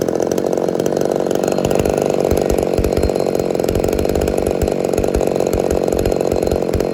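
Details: Ported Homelite Super XL-130 chainsaw, final test run after adjustments for a loose idle screw that turned by itself: high, crisp two-stroke howl held steady while cutting with no bogging or sputter; normal running.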